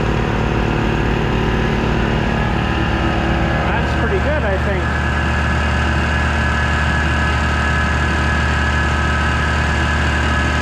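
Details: Air compressor on a newly energized shop circuit: steady low motor drone with even pump hum, no knocking or squealing; running normally.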